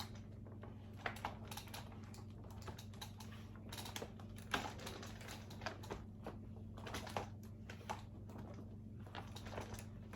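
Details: Uppababy Vista stroller: irregular short creaks and clicks from the frame over a low steady hum.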